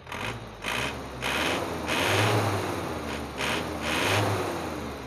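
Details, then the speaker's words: 1997 Isuzu Panther 2.5 diesel with Bosch pump, free-revving throttle blips after regulating valve adjustment; engine picks up freely, sounds light and dry, drops back cleanly with no knock; normal. "Saya coba gas. Ini ringan sekali ya, ringan sekali teman-teman, ringan sama kering"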